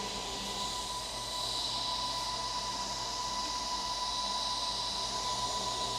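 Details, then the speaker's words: Computer in the BIOS after a reboot, with the fan speed control not found: a thin, steady high-pitched squeak over a soft hiss; suspected bad fan bearing, possibly in the power supply, unconfirmed. "Bad fan bearing maybe? I was thinking maybe in the power supply."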